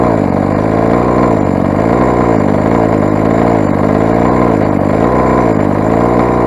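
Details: Rovan 45cc big-bore two-stroke engine on first run with modified exhaust header and poorly set carb needles, exhaust too small; loud raspy buzz surging and sagging about once a second, never settling; lean running.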